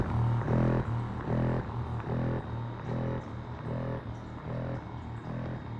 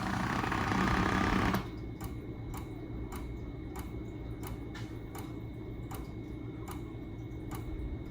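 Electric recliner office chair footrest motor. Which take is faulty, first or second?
second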